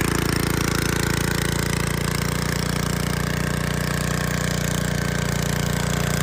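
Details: 1986 Troy-Bilt Horse 2412 rear-tine tiller after tine/PTO re-grease and transmission fluid fill: small single-cylinder engine chugging at an even, steady idle beat with no misses or knocks; healthy.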